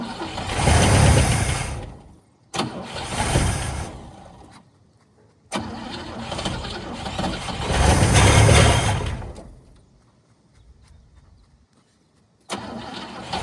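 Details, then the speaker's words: 1959 Cadillac V8, sat for years, first start with only fresh gas added: revs swell and fall between quiet gaps under a loud, coarse exhaust roar at high cold idle; runs well, exhaust sounds terrible. "As you can see, she's running like a champ right now. Exhaust sounds absolutely terrible, but she runs and she runs good."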